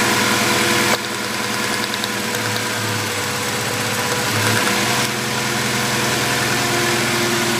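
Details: 2000 Acura Integra idling lumpy and uneven with irregular stumbles; misfire, and only pulling cylinder 1's spark plug wire makes a difference. Cause not confirmed.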